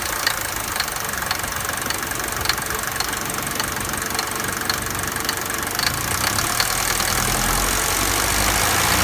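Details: Mercedes 200D W124 diesel at idle: sharp steady knock a few times a second that stops when accelerated or revved; source unknown, owner asking for help.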